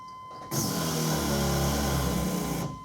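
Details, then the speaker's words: 1997 GMC 1500 SLE 5.7L Vortec, key-on test of the in-tank fuel pump module: a coarse grinding drone for about two seconds instead of a clean high whine. Symptoms are crank-no-start, late cold and hot starts, and the tank won't drop below half. Failing fuel pump. "turn the key that thing sounds different today than it did when we got it running that pump does not sound happy"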